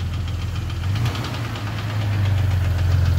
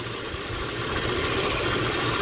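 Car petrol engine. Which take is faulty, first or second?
first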